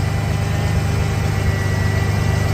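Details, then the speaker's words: Ford Bronco under restoration: a deep, steady idle, slightly high, with no skips. The misfire seems gone; a throttle body or intake gasket vacuum leak is still possible. "like I said I do believe she's idling a lot better and I believe that the m is gone so that is that is excellent excellent excellent"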